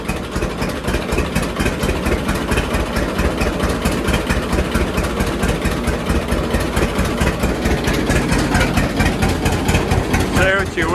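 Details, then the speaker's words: John Deere D two-cylinder tractor at idle after regapping Autolite 3076 spark plugs to 0.030 in: steady slow putt about two beats a second, even with no skipped beats; misfire gone, no backfires. "but I think that's running a lot better. I don't hear it missing at all anymore."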